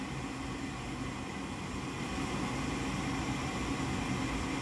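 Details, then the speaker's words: Goodman gas furnace, control board flashing three times (air pressure fault): steady whooshing inducer fan hum with no burner lighting; pressure switch fault, later replaced. "so I'm getting three flashes so the flesh is telling me that there's something going on with the air pressure so I can hear the fan but it's not firing up"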